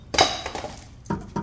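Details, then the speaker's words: Nissan Sentra, customer complained of loud suspension noise; car lifted, wheel off, subframe pulled by hand: three sharp clunks from play in the worn front subframe bushing, to be replaced along with the rear bushings. "bom turminha aqui com o carro levantado eu consegui identificar a folga aqui ó na bucha do agregado ó é esse barulho que faz ali ó ó ele bate aqui ó"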